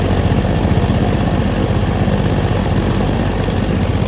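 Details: Stihl SH 55 handheld two-stroke blower/vac, before carb adjustment: flat, rough drone at about four beats a second that never climbs higher, sounding lean and short of revs; carburettor suspected, not confirmed.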